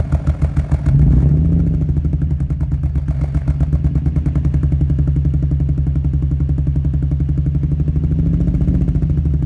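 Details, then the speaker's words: Infiniti G35 with code P0300, recorded at the driver-side exhaust at idle: lumpy, uneven, irregularly stumbling pulse of a random misfire; check engine light blinks above about 2500 rpm. "so the server service engine light is on um if i drive over like 2500 rpms it starts blinking"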